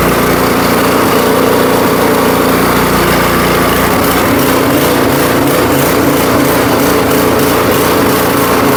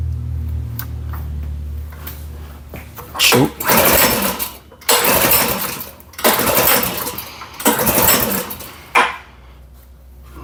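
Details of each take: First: Powersmart 24-inch snowblower, 212cc single-cylinder engine, after repair following a customer's failed attempt, oil checked and fresh gas: buzzing at a steady, even speed with no surging or stumbling; runs normally. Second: Powersmart snowblower that a customer had tried to fix, fuel valve on, primed with a few pumps: four hard recoil pulls, each a quick rasping whirr that dies away; the engine never catches, so it's a no-start.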